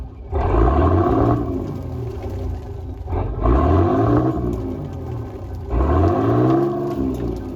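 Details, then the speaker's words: Volvo Penta TAMD 71B marine diesel, stood 10 years in a partially sunk abandoned boat, first run: three throttle blips easing back to steady rumble while loads of muck and smoke blow out the exhaust, then settles to idle. "There's loads of crap coming out of that. Now she's ticking over now."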